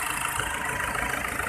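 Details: Isuzu Trooper 4JX1 diesel shaking at idle with an uneven, lumpy beat and a faint knock running through it; rough idle blamed on an injector problem.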